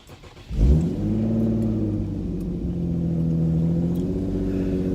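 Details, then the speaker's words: Acura RSX Type-S with Motordyne exhaust and test pipes: the petrol engine fires up and settles into a loud, raspy idle from an exhaust leak; owner may buy new clamps. "sure has an exhaust leak I should try to get that fixed"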